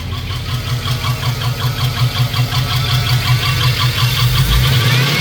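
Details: LS 5.3 V8 swap after being bounced off the rev limiter: steady rapid knocking about two to three per second under the running engine; spun rod bearing and failed lifters, caused by cheap eBay lifters and trays.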